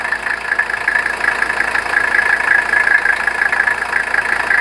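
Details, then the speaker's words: 1985 Mercedes 300 SD diesel, warm idle with a shot alternator (11.7–11.8 V): steady, even idle with a thin constant whistle on top; engine runs smooth, slight blow-by noted. "sounds pretty good too. Needs to be clean."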